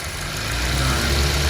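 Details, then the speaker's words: Car whose idle RPM had hunted up and down with the aircond on, traced to idle speed control, now after the fix: steady low idle holding even with the aircond switched on and off, no hunting or stalling; normal idle. "Tapi so far steady ah. Okey sampai sini dulu untuk video kali ini. Kita jumpa dalam video akan datang. Okey kita tengok dia dah jadi normal balik."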